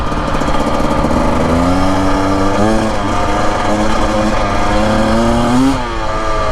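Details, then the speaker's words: 2025 Husqvarna TE250 two-stroke enduro, about 60:1 premix, revving under load on desert trail; near the end it briefly stumbles and dips in pitch at certain RPMs and loads; owner suspects the map needs reflashing; throttle hiccup. "Yeah, you hit a hiccup spot there. And when you shift up, it's like certain RPMs under certain load, it feels that way."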